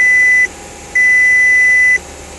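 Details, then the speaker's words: 2006 VW Passat 2.0T FSI, 130,000 miles, after intake cam replacement (oil pump replaced six months earlier), revved to about 2000 rpm: short then longer high beep over faint engine noise; oil pressure warning, though oil supply checked fine. "i'll go ahead and bring the rpms up to about 2000. we'll see uh oil warning light come on"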